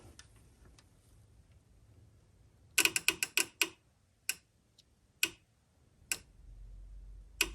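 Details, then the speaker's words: An aftermarket in-coolant fan switch's sensor terminal is grounded to test: the relay clicks over but no fan motor runs. The relay output-side wiring is suspected to be connected wrong. "i hear it click in the uh i hear it clicking the relay over but i don't hear any fans running"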